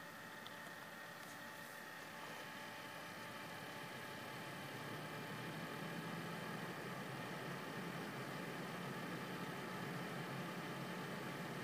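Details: Corsair Hydro H100 CPU liquid cooler with stock fans on medium profile in a Cooler Master HAF X case: steady airy rush with a faint constant tone, fans too loud at medium and high; pump later failed.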